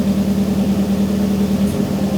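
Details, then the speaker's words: Newly self-built engine at idle on its second start: a slightly uneven, stumbling beat with occasional dropped pulses, a light misfire. Suspected cause is very old reused S14 fuel injectors, possibly with debris after the manifold sat; not confirmed. "So, there is a slight misfire. It very, very well could be my old cuz I'm using the old fuel injectors from the S14 that were old when they were on the S14."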